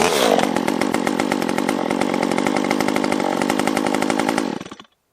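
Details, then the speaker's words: Stihl MS 194T top-handle chainsaw after muffler mod and timing advance, running much richer, high screw turned all the way in, on restart: crisp even high-revving buzz holds steady then cuts off cleanly; running great, normal. "And the timing advance, I think that was the star of the show. Now it wants to run. It's running much, much richer."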